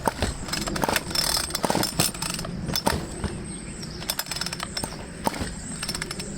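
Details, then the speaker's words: Ryobi string trimmer, very hard to pull start after running fine the previous day: irregular sharp pops and snaps through the rattle of each heavy starter pull, and it won't catch. Owner doesn't think it's compression or exhaust; carburettor to be inspected next. "I ran it it ran fine I shut it off and the next day yes this is the problem can you hear that popping is that it's that way"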